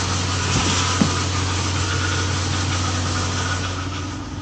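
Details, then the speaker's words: Nissan/Infiniti VK45DE 4.5-litre V8 at first start after engine reassembly, mileage unknown, fuel low: steady, even, quiet idle with no knocks or ticks. The engine itself sounds clean; the chattering comes from the accessories. Normal idle. "We're running, for the most part, quiet. I love the VK45DE, man."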